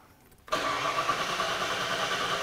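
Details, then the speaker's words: 37-year-old Ford Bronco with TFI-IV ignition module and new distributor, intermittent stalling: starter cranks steadily but never catches despite PIP and SPOUT signals on scope; crank no-start from faulty new ignition module, starts after key cycling. "I'm going to go ahead and crank it and I'm going to push my red probe back in there make sure it didn't fall out and if we try to crank it right now it will not"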